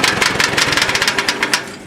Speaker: oh it's a restored ford don't worry not a rod knock it's just valve train noise uh valves are extremely loose today